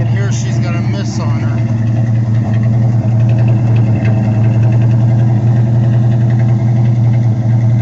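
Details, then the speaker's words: 1979 Pontiac Firebird, still cold after sitting 8 hours, plugs cleaned (oily, smoking from passenger side, number 4 suspected): uneven lumpy idle with periodic stumble; misfire at idle, good oil pressure, no valvetrain noise. "Yeah, it does idle pretty well. Still got a miss, but it's also still cold."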